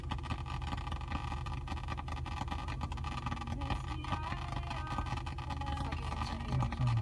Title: Crackling sounds